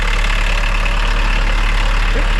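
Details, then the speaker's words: Three MK1 VW Rabbit Pickups; this truck, after injection pump work, drives at steady speed with loud, even diesel clatter, no shaking or rattles, quiet inside with the door closed; normal running. "Nothing's shaking. Nothing rattling. and close the door. This sounds super quiet."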